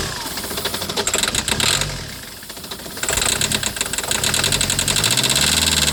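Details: 2008 Citroën Nemo diesel van catches and runs lumpy with irregular knocking, about four beats a second, surging before settling; glow plug light on; shaking blamed on excess fluid in the combustion chamber, expected normal once dry.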